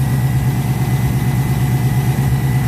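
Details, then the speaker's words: Ford Capri V8 at warm idle, oil pressure gauge fitted (about 20 psi cold, dropping once warm): steady, even low knock pulsing through the rumble; possible bottom-end knock, cause not confirmed. "she's jumping to the worst-possible-case scenario possible which is that the bottom end of the engine or something inside the engine it's causing this noise it's knocking noise"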